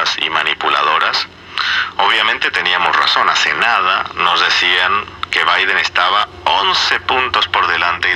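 Radio plays loud and clear with full, undistorted sound and no hum or crackle; audio stage working normally.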